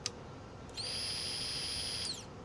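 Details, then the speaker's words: 2000/2001 Ducati Monster 900 after fuel pump replacement and tank cleaning, key on: a click, then a clean steady high whine just over a second before winding down; the new fuel pump primes normally. "Yeah. See, that's how it's supposed to sound."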